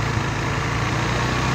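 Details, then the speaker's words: AXXO Viper 180cc scooter after replacing the exhaust gasket and retightening: smooth, even low putter at idle with no raspy blowing or rattle, only slightly louder when revved; exhaust quiet and healthy. "prácticamente el escape se encuentra súper silencioso así debería ser obviamente cuando aceleramos se le escucha poquito más de él"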